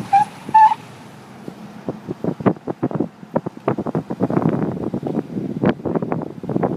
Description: 2009 Cadillac Escalade SWB Platinum AWD with 22" wheels and 37,000 miles. Happens when turning sharp-ish at low speeds.